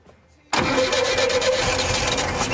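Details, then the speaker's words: 1975 Volkswagen Shorty bus, sitting neglected over 20 years, cranks steadily with no catch and never fires despite a dose of fuel; fouled spark plugs giving no fire, wiring connection also shaky. "We just weren't getting any fire out of them spark plugs, apparently."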